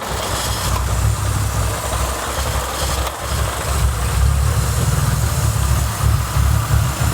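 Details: BA Falcon after a drift day, check engine light coming and going: uneven, lumpy loping idle, sounding like big cams and idling high, from a suspected blown intake manifold gasket vacuum leak upsetting the mixture.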